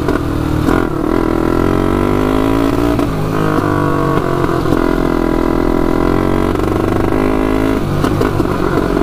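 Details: 1999 Honda 400EX turbocharged quad, first test ride with oil and fuel pumps: engine drones and rises, then drops out several times as it tries to pull; cuts out under load when boost hits, owner suspects flooding.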